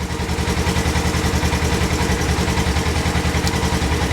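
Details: 2022 Polaris RZR Trail S 1000 idling after reassembly with the check engine light still on and the O2 sensor reading about 0.4. Uneven, lumpy idle at about three to four pulses a second, rough running with no obvious knock; cause unresolved.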